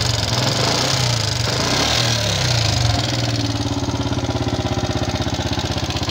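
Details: Yamaha Jupiter MX King fuel-injected single: after a blip it settles to idle with quick, light kletek ticking and rattle from the top end, likely valve train noise; diagnosed before teardown, cause not yet confirmed.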